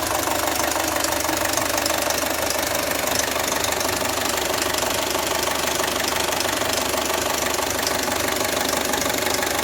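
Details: Audi A4 B6 2.0L FSI (AWA engine), 264,000 km, idling: fast, dense metallic rattle from the cylinder head caused by a stretched timing chain and worn camshaft phaser; fixed by replacing chain, tensioner and phaser.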